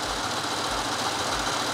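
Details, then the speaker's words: 2008 BMW 335i N54 automatic with Helix HPFP overdrive gear kit, about 4,000 miles, first cold start after repair: rattly metallic gear clatter from pump drive at idle, going completely silent when fully warmed up. "love you guys have asked if it makes a clatter sound or if it's noisy you can hear a little bit of gearbox clatter right here"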